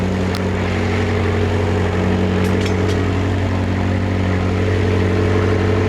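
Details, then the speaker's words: McLaren 650S V8 cold start on the new exhaust: a steady, even, high cold idle with a deep burble, no misses or knocks, and no more smoke. The power steering fault is gone, but the low oil pressure fault returns. "No more smoke. All right, let's see if we can figure this out. All right, no more smoke."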